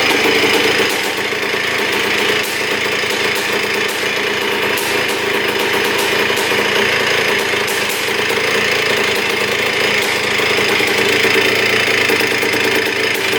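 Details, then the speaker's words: 1976 Honda CR250 Elsinore two-stroke dirt bike without a silencer: very loud, crackling exhaust with a steady, even firing rhythm and no knocking. It fired right up after a slight backfire on kickstart and runs normally. "great holy cow she fired right up man does that sound good it's really loud without the silencer like Extremely Loud I don't know how people rode it like that but man it sounds good no knocking in the engine no weird sounds coming from the engine"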